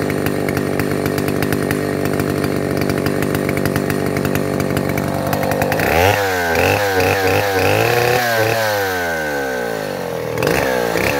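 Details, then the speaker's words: Neotec 8105 (Stihl 070 clone) chainsaw, pre-refurb, carb screws untouched, half warm, cutting hard maple about 22 by 18: screams at full throttle, bogs briefly biting in, then clears and opens right up; normal running under load. "But did you hear it? It's running, wah, and then goes wah, and opens right up."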